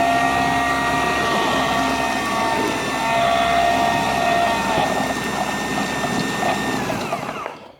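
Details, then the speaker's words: Winch motor running after cleaning a corroded, poorly connected electrical contact (the winch switch had stuck and run the hook through the fairlead): smooth, even whir at steady pitch with a clean wind-down. Operation sounds normal. "well that sounds pretty normal to me"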